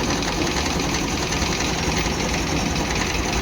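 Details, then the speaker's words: Old model Pleasure scooter after engine repair for low compression, new piston rings and valves: quick steady single-cylinder putter at idle with light mechanical clatter, no knocking; starts properly, no problem. "देख पा रहे हैं गाड़ी start हो गया बिल्कुल सही तरीके से। गाड़ी में कोई दिक्कत नहीं है।"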